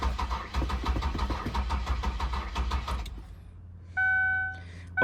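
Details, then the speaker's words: 2003 Ford Windstar van with water-contaminated gas, trying starting fluid, still not getting enough gas: steady rapid starter chugging for three seconds, never catching, then cranking stops; cranks, no start, owner suspects fuel starvation or a clogged filter. "Let's play some starting fluid. Man, it's still not getting me enough gas."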